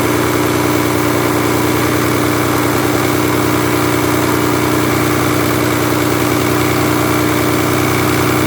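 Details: Mazda Millenia with the KL 2.5 at idle: steady hum with a fast, evenly repeating tap roughly three per second; engine knock.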